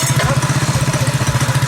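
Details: Predator 212cc single in a modified Coleman KT196 go-kart, ignition timing advanced after crash damage, idles in a steady putter at about fourteen pulses a second, even and unbroken, with a clean exhaust note; healthy idle.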